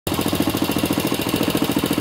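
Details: Loud, fast hammering knock, roughly nine or ten blows a second, over a steadily running engine: a heavy internal engine knock, cause not yet pinned down.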